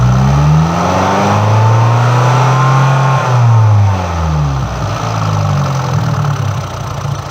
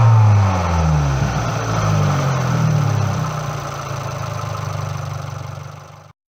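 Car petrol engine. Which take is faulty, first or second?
first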